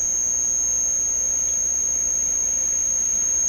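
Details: Deforest 10DA517 AM tube radio that howls, during tests with a 500K resistor tacked in near the volume control and next tube grid: a piercing, steady high-pitched howl of unchanging pitch; the set is oscillating.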